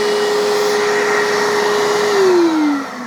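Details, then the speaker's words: Bissell Little Green 1400 portable carpet spot cleaner left running to suck air through the hose to clean it: steady whirring motor, clear hose whistle dropping in pitch near the end; normal suction. "So when you're done, it's good to shut them, or to leave the machine on and just let it suck air through here to kind of clean out the hose."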